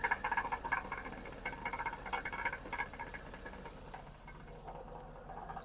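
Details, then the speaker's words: 2007 GMC Yukon Denali, 6.2 L LS crate engine with a couple thousand miles, idling; mic underneath the vehicle. Repetitive, uneven knocking about four a second that sounds like engine knock; suspected catalytic converter core rattle, not engine. "and hopefully you can actually hear the noise here underneath the vehicle quite clearly it's a repetitive knocking sound"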